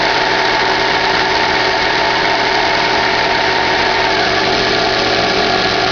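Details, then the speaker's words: 2011 Chevrolet Classic at idle, clutch and release bearing already replaced: constant even whirring hiss that disappears with clutch pedal pressed and returns when released; bearing-like whir with clutch released, cause unknown. "Você aperta o pé na embreagem, o barulho some, você solta, o barulho volta."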